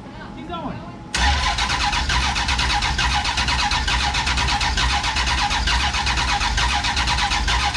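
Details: Big block Duster, first start attempt after fuel arrived, distributor turned and fuel pump switched on: starter spins steadily for seconds but never fires. Spark present; owner later suspects bad MSD ignition box.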